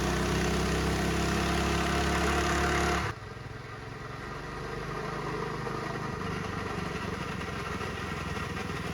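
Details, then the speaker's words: Mini bike small engine with chain clutch and jackshaft, before torque converter (CVT) kit install: busy metallic clatter over the idle, then it drops off; the clutch and jackshaft chain rattle loudly. "You can hear the clutch and the jack shaft chain all rattling around. It's terrible, it's noisy."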